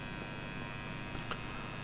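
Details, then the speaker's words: Fender Japan '50s Stratocaster through Helix Native host with noise gate off and guitar volume down: steady low 60 Hz mains hum with buzzy edge and hiss. "Now I'm going to turn out the volume of the guitar, and you're going to hear the noises coming out. Alright, so this is the 60 cycle hum that's coming"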